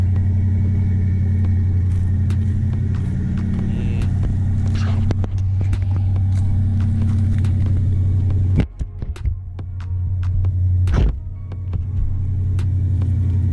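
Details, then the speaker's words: 1986 Ford Bronco, 5.0L 302 V8, somewhat cold start: low, even rumble holds a steady idle then takes a couple of quick smooth revs, no knocks or misses; healthy normal idle. "A little, somewhat of a cold start. I don't know if you can hear that pretty well, but it sounds fantastic."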